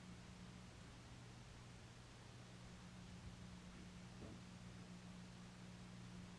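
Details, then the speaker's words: Hunter Original 52-inch ceiling fan (c. 2020, new install) on low speed: faint steady hum under soft air hiss, smooth running; earlier scraping sound has gone away, owner believes the oil needed to settle. "this fan puts out a very nice amount of air and if you guys can't tell already that scraping sound did eventually go away pretty sure the oil just needed to get settled within the fan"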